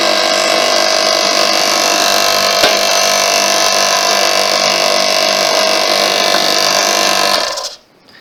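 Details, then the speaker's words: Free air compressor being repaired, run with the head bolts slightly loose to check the piston clears the head/valve plate with the thicker gasket. The motor gives a steady, even hum with a fast smooth pulse and no rattle, so the piston is not hitting. "it doesn't so the piston isn't hitting that head that plate so that's okay in other words that gasket is thick"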